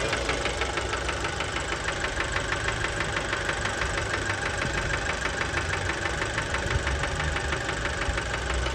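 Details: Fiat Bravo 2, 1.4 T-Jet 150 HP, 215,000 km, recently serviced, recorded close to the engine at steady idle: a fast, fairly even metallic knock about three a second. Worn rod bearings knocking; cause unknown, car scrapped.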